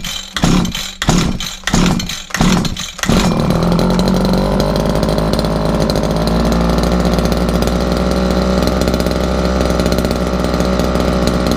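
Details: Two-stroke strimmer after sitting all winter, started on choke with priming: a few sharp pull-start bursts, then it catches and settles into a steady, even buzz while warming up; runs fine.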